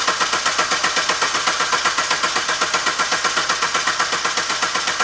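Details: 2019 SsangYong Rexton Sports diesel after oil cooler replacement (coolant mixed with engine oil) and belt damper pulley noise repair: even, steady diesel clatter at idle, no knocking, rattling or belt noise.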